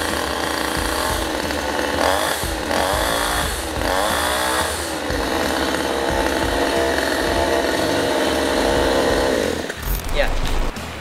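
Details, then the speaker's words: New Fujiyama GCS7800 gasoline chainsaw just after cold start with choke: loud, steady high-pitched two-stroke buzz holding even, small speed wobble near the end; runs healthy, noise measured at 116 dB. "Suara kebisingan dari mesin chainsaw kita adalah 116 dB."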